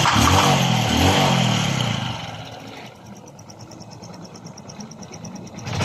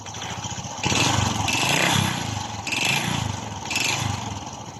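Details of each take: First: Honda RS125 Fi engine after teardown and rebore for confirmed piston slap, air cleaner and exhaust refitted: a couple of quick revs settle into a soft, even idle with no slapping or ticking, sounding like new. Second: Honda RS 125 Fi before teardown, owner reported noise in engine: four throttle blips with hollow rattling clatter from the lower engine; connecting rod or piston slap suspected.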